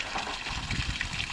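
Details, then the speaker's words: Newly installed outside water pump, reprimed, feeding the main outlet first; water gushes unevenly with bubbling, spitting surges instead of a smooth flow, showing air still in the water line. "That's running good. Oh, here comes some air. You hear it bubbling?"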